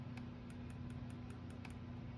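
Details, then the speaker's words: Eagle Talon with SRT4 engine swap on MegaSquirt, coil packs fired individually without quad spark: sharp spark snaps about five times a second over a low hum; coil B sounds hollow, weak coil suspected, coils to be swapped. "each one fires actually you can hear something interesting so um coil B sounds Hollow so I'm gonna see if I can change the coils"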